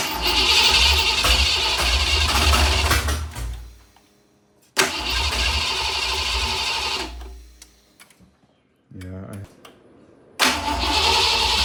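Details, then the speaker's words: Foxbody Mustang 5.0 HO build with T5, new headers and upgraded fuel pump, first start attempt: long bursts of steady cranking with pauses, a brief catch that dies away, no sustained run; mechanically sounds okay, owners suspect the ECU chip tune. "Um, we've been messing with it for a while, trying to get it to fire. Having some issues with getting it to to at least run."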